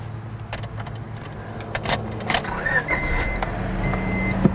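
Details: Honda Civic start, keeping the 16-year-old original plug wires. There are clicks, then the engine catches and settles into a steady, even idle with no misfire or stumble: a healthy start.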